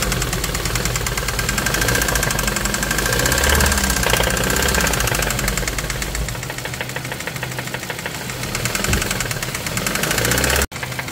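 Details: 2017 Hyundai Kona 1.6 T-GDI petrol engine at idle: hard diesel-like clatter ticking fast and steady, very loud engine noise; cause not known.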